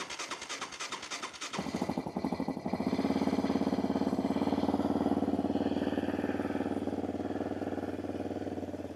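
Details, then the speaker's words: 2006 Yamaha Raptor 700 ATV, apparently ridden without an air filter, no check engine light: cranks, catches near two seconds, then an uneven, slightly wavering single-cylinder beat; rough start and idle, owner suspects it needs new gas. "Starts up a little iffy. Maybe needs new gas."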